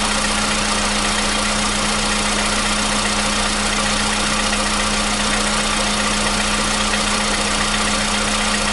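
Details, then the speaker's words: 2015 VW Polo Sedan at 76,000 km, new battery, cold start. For years it knocked only when cold, and worse on Rosneft oil. Steady cold idle with a constant hum and even churn, no knocking or tapping; the knock has suddenly disappeared. Normal cold idle. "Вот так, проехав 76 тысяч, двигатель внезапно перестал стучать."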